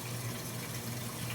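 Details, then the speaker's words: Speed Queen AWN432SP washer on the delicate cycle with cold water, filling for the final extra rinse: a steady, even rush of water over a low hum with no knocks or squeals, a normal rinse fill. "so it's now starting to fill up one last time for the extra rinse and then once it does that it'll it'll add to take for a little while and then it'll go into its final spin"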